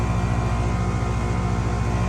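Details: Goodman 3-ton 16-SEER condenser, 7 years old, running: steady low hum with a fast even throb and faint fan whoosh, no buzzing or clicking. Compressor running normally and cooling.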